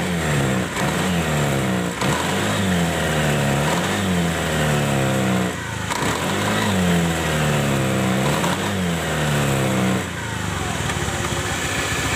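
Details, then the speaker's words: Honda automatic scooter (Beat/Spacy/Scoopy/Vario type), kick-started, rear CVT: revs with a rough gritty kretek noise riding on the drive sound, quieter after first grinding; worn, previously ground CVT shaft end, not yet fully smooth. "agak kencang dia Bunyi terus kretek kretek kretek bisa itu motor Beat spesi sama ya scopy juga sama"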